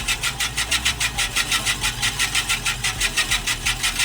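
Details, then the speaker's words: Scotts Classic 20-inch 5-blade reel mower with an electric conversion, spun in reverse at about speed 18–20 while backlapping with brushed-on 100–120 grit compound: a rhythmic scraping crunch about four times a second. Reel grinding against the bedknife, expected to smooth out. "Now, we're going to take a little paste, put it on the brush, and we're going to run it across the blade. And you can hear it start to grind."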